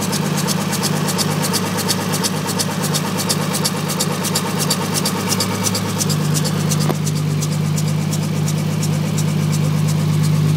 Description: Strange noise coming from my 2jz-gte's timing belt assembly. This video is taken with the drive belt removed so no accessories are running.